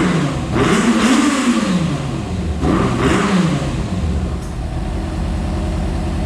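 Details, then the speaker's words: Flooded Yamaha FZ6 Fazer, running again after intake cleaning and engine oil flush: two clean throttle blips rise and fall smoothly, then a steady even idle; engine running normally, though it smoked a bit from water in the fuel. "so it's working like a bike again it sounds like a bike again it's not pumping water again it's acting just like a bike"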